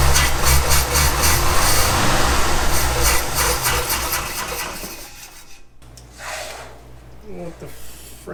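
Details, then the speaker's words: 1965 Ford F250 300 six, parked about 17 years, restart attempt after tapping the carburetor for a suspected stuck float: rough, rasping run for about five seconds then dies; no valve clatter or rod knock; fuel supply suspected. "we're either not getting fuel up to the carburetor or float is stuck we're going with the float stuck let's just tap on it"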